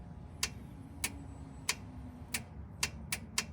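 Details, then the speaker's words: 1967 VW Type 3 Squareback, battery connected, key on accessory: seven crisp clicks as power from the coil is touched to the electric chokes and cutoff valves on both carburetors; chokes energising normally, previously never worked. "now over here when I make contact from the chokes and the valve over to the coil you can actually hear it"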